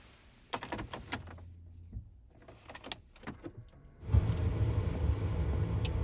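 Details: Relay on 8" LED light bar circuit fed by 20 amp fuse and steering wheel AUX switch, 2013 Ford Police Interceptor Utility: crisp single clicks as switch pressed, some handling noise; relay pulls in, wiring works, normal.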